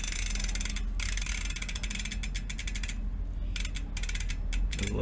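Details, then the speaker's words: Second-hand Mavic Deetraks rear hub on a high-power electric bike, spun by hand: rough, uneven, gritty ratchet crunching from a worn-out freehub section; bearings possibly busted, not yet confirmed. "you can hear that though that's quite crashing this is here is the problem this this work worn-out section"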